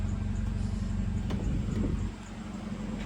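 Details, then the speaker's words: 2015 Mercedes CLA 250 4matic after transmission valve body and oil pan work, running with no exhaust fitted: a loud, raw low rumble at a steady idle, with even firing and no misses. Normal idle. "it's idling fine you guys can see there you guys have it finally bad boy I can finally drive this vehicle"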